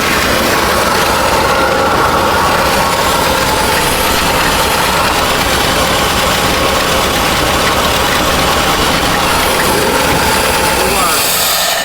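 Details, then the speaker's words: 1970 Chevy C-40 mechanics truck, sat 15+ years, just started after ignition wiring: steady even idle with constant note, no knocks or misses; engine runs well, radiator found leaking. "Oh, okay. That opens up good. That thing sounds good. It does."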